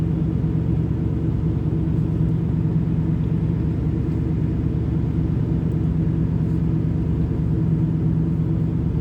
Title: Camaro IROC Z Rough Idle When Warm